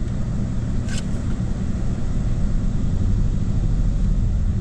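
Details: Mercedes W222 petrol engine idling roughly with a deep, uneven, stumbling rumble: random misfire with the engine light flashing, engine shaking and jerking, weak power and rough gear shifts.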